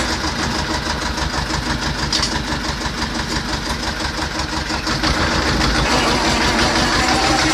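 Even, steady diesel clatter of about three beats per second with no misses or knocks; tractor engine running healthy.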